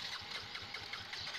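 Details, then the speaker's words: Yamaha Mio J scooter that had to be pushed in, battery and electrics normal: strong, even starter crank about five pulses a second but engine never catches; idle speed control (ISC) sensor checked first. "mesin gak bisa hidup Hai Hey Girl pun ngomong padahal starter kuat Masih normal tapi tetep nggak bisa ngangkat"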